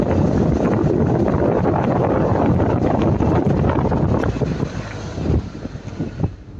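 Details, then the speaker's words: Lada Niva Travel road test at speed after a DIY fix for rattling front brake pads, on the same road where it rattled before. Road and wind roar only, no rattle over bumps; brakes quiet, no pad rattle. "Итак шума то нету удивительный ведь человек оказался прав"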